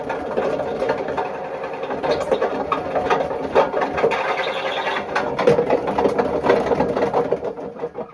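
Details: Bush WMDF612 washing machine on spin: loud continuous rough rumble and grinding with a rattly edge, badly worn drum bearings, judged not worth fixing.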